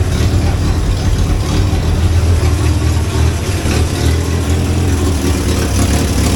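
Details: 1963 Hillman Super Minx just started after cooling system and rebuilt fuel pump installation, warming up cold without choke: steady, even low idle rumble with no knocks, stumbles or hunting; normal.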